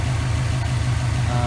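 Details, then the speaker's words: 2003 Subaru WRX at idle after replacing the AC belt tensioner pulley/bracket; AC compressor cycling and fans starting, steady smooth hum with no belt squeal now, though the belt squeaked earlier: normal idle with accessory belt. "Now the fans start up, so I think that's just been compressor turning on and off to get more, cooler air and that sort of thing."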